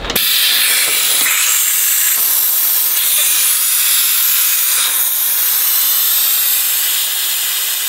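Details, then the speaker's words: Toyota Supra project car with Swedish engine, coolant vacuum filling: loud, even air hiss as the vacuum filler draws the cooling system down and collapses the hoses; system holds vacuum, no leaks. "Also das hat so ziemlich alle Schläuche zusammengezogen. So, wie wir jetzt sehen können, ist das Ding dicht."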